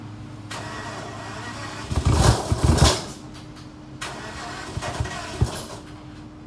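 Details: Flood-damaged Aston Martin DB9, cold start: cranks, catches roughly with uneven pops and lots of smoke, then idles unsteadily with stray thumps; misfire on cold start.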